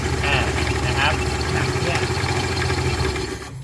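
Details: Honda Scoopy-i scooter idling after start-up: an uneven rattly chatter over the engine note from the rear CVT belt side. Cause unknown; the belt cover is being removed to inspect.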